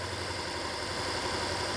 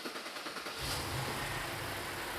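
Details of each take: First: Alpina B7 after replacing a failed original ignition coil, idling in Drive: an even, steady idle with no stumble, misfire or shake, smooth as butter. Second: BMW Alpina B7 after swapping ignition coils between cylinders, intake loosely refitted: engine catches and idles with a steady stumble and shake from a single-cylinder misfire, which moved to cylinder 3.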